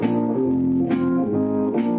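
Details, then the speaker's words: NAD 2400 stereo solid-state power amplifier after repair, out of its case, playing iPod guitar music through test speakers: full, clean sound with no hum, crackle or distortion. The amp works properly. "all right so as you can hear sounds pretty good even with these uh test speakers here"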